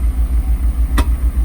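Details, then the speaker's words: Mercedes R129 SL500 with the 5.0 M119 V8, running: a deep, lumpy rumble with sharp exhaust pops, as gas goes into the exhaust unburnt, showing it is not running well. "But so you can hear how the exhaust is just friggin' popping. Gas is like going into the exhaust and not getting burnt."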